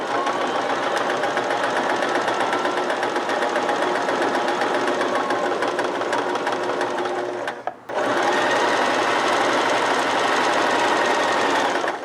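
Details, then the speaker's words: Oiled, threaded sewing machine doing straight stitching on a single fabric layer: quick, steady clatter of about four stitches a second with one short pause; an even, healthy rhythm. "So let's listen to the sound of this machine as it stitches. Imagine you're walking on a wood plank floor. Just walking."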